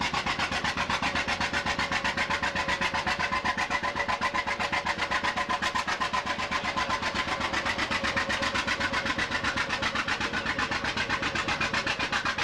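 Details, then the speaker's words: Unstyled John Deere two-cylinder tractor with sideways engine and outside flywheel, a "popping Johnny": sharp even pops at about 160 a minute, steady and unbroken; normal two-cylinder running. "the A's the B's and so on are what they call popping Johnnies they go pop you can hear them two cylinder the engine sits sideways"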